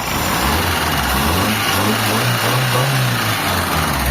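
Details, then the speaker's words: Mitsubishi Lancer with 4G15 or 4G13 engine, after fixing a grinding noise, fan removed: revs up and settles smoothly with a steady low hum and faint rocker-arm ticking, no grinding; normal revving. "Ang tahimik niya na mga bossing oh. So wala na siyang maingay kahit i-rev natin yan."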